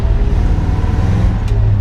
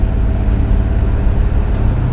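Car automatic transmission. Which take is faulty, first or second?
first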